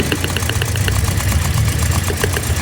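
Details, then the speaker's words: Toyota Vios Dual VVT-i, fuel pump and spark plugs replaced without change; uneven stumbling idle with irregular ticking, heavy engine shaking; misfire, cause not yet found; coils later show spark, cylinder 1 compression 150 psi. "Kung mapapansin niyo, maririnig niyo na palyado. Matindi yung alog ng kanyang makina."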